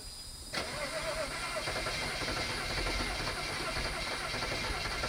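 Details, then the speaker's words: BMW 535xi E61 wagon, long-sitting, reprogrammed used MSD81 DME, tow lock removed: starter cranks steadily, engine never fires; crank no start, owner now bets on old gas pending the fault code scan. "Still nothing. I guess now I'm gonna have to put my bet on there being old gas as long as the fault code scan goes well here."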